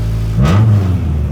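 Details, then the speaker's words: 1999 Acura Integra GSR after replacing a failed fuel pump: two quick throttle blips over a smooth steady idle, revs climbing and falling cleanly without stumbling; normal running and revving after repair. "Got it back running. We good to go now."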